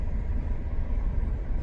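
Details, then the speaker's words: Alfa Romeo on a French road trip, driven after being fixed. Steady, even low drone under way with no knocks or misses. Engine pulls smoothly. Normal, healthy running. "She's okay, she sounds good."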